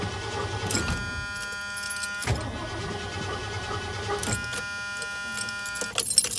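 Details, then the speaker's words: Truck that went from running perfectly to not starting, after a coil ground wire was added: starter whirs steadily, engine turns over without catching; crank no start, owner suspects something in the distributor, cause unconfirmed. "Might be a job for Don. Because the only thing I can think of really is something in the distributor."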